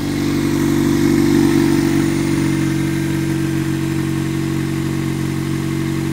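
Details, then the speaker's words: 1998 Toyota Corolla driving uphill around 50 km/h at 3500-4000 rpm: loud steady drone with strong low hum and fast even pulse that stays even off throttle; bad engine noise, cause unknown. "So what I have here is a 98 Corolla. Engine noise is really bad, so"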